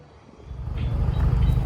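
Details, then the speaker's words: Barn-find Mazda RX-7 FC rotary, sat 10-11 years, last run 2016, engine had been locked with a stuck side seal freed using ATF: engine catches and builds to a steady, deep low rumble, smoking a little from the ATF; back to normal running. "Well, she's smoking a little bit cuz we put some ATF in it, but it's back to life after I think there was a last run in 2016."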